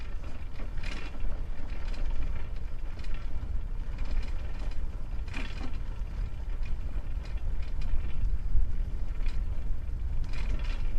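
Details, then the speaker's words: Old Sparta Apollo bicycle with Shimano 3-speed hub, previously crashed, ridden on a mud road: scattered light clattering bursts over low rolling rumble as the wheel hits bumps, a loose front mudguard rattling. "Mud road. And now you will definitely hear that front mudguard rattling."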